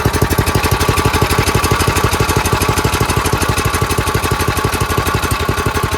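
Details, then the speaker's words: Craftsman 928 snowblower, 9 hp Tecumseh engine, after carb and bowl cleaning, jets opened, idle adjusted and governor screw turned a quarter turn: even, steady chuff at a brisk idle, about three beats a second. Normal idle, no surging at full throttle. "Quarter turn on that, so now the RPMs are faster. That's idle."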